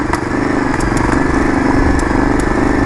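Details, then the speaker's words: Yamaha Virago XV920 café racer idling: lumpy V-twin with loud backfiring and faint scattered clicks of unknown source; owner thinks the carbs need syncing. Clicking noise. "There's also a clicking noise. I'm not really sure what that is."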